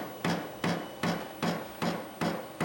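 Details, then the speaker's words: Vevor 8 kW diesel heater at cold startup: sharp, even ticks about two or three per second, speeding up, over a quiet fan; normal fuel dosing pump priming. "so now must be pumping diesel to it still cold air this is still cold I hear picking up speed it's getting faster so I guess I had to go through like a priming"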